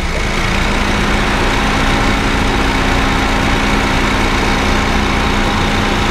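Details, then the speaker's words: Honda Fit GD3 idling with the AC on, after adding Power Aircon additive through the low-pressure port: the compressor hum is reduced but still faint, then starts fading. The mechanic thinks refrigerant inside the compressor was slightly low. "ちょっとマシになりました、ね、まだ少し鳴ってますが、ちょっとマシです、ね、あ、音消えてきました。"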